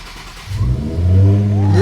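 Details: Nissan 350Z first start after replacing the failed fuel pump: brief crank, then the engine fires right up and revs cleanly with a rising note; starts and runs normally.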